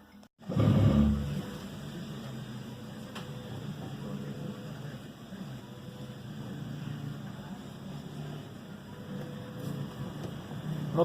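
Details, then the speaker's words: Volvo XC90 after the steering column universal joint was replaced, having caused a knock the owner feared was the steering rack: steering wheel turns with a low engine hum and no knocks or clunks. "так должен рот крутится на volvo без всяких звуков"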